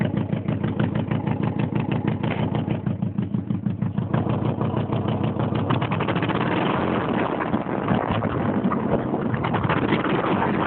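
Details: 1987 Mazda 929 LX, 2.2 inline-four with two-barrel carburetor, no catalytic converter, running with sharp puffing exhaust pops and backfires from a bad exhaust leak before the first muffler.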